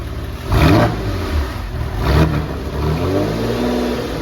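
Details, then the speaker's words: Porsche 911 (996) after restoration, throttle body connector plugged back in: two crisp throttle blips rising and falling cleanly, then a steady even idle; engine now runs normally. "So it turns out I hadn't connected the throttle body control, and it was a simple click of the cable and everything was fine."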